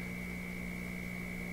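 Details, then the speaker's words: Florida AM/FM/SW tube radio being troubleshot for low output and distortion: a loud, steady low buzz with a thin high whine drowns the audio. Mains hum is suspected to come from a poor ground connection, unconfirmed. "why the huge huge hum well it's got to be from these connections it's as if this ground really hasn't hasn't taken here"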